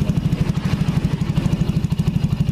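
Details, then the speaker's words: Yamaha Jupiter Z motorcycle with its rebuilt engine reinstalled in the frame, new parts being broken in, and the exhaust closed off. Low, even thump with no ticking: a smooth, near-silent normal idle. "untuk yang punya motor suara mesinnya sudah senyap seperti tidak menyala tuh"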